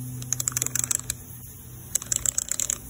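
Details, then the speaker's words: Ford 4R70W transmission diode-type sprag one-way clutch turned by hand: two quick runs of sharp, light ratchet clicks, which is normal; this action makes the clutch steels chatter in the case unless the retainer is fitted. "that well that noise right during the way this operates it causes these clutches of steels to platter in the case and this retainer right here stops it"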